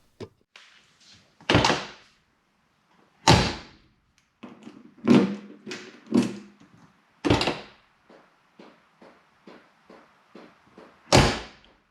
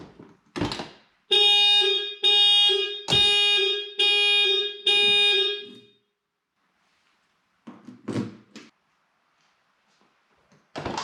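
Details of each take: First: 1988 Porsche 944 factory alarm, tested after new relay, repaired switch and bypass jumpers removed: light relay clicks from control module between door thunks, but horn never sounds despite control unit receiving power. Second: 1988 Porsche 944 factory alarm after relay replacement and control unit board repair, with a replacement alarm horn fitted; loud steady horn tone in repeated blasts of about a second each, alarm horn working properly.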